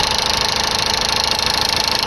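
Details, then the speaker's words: Ford Ranger 3.0 Power Stroke diesel idling with a fast, even tapping over the clatter; intermittent engine knock appearing only when steering hard or parking, then stopping, source unknown. "ese golpeteo en el motor que no sabía de dónde venía y me lo hacía a veces, solamente cuando doblaba mucho la dirección o estacionaba, lo hacía regulando y después solamente lo dejaba de hacer."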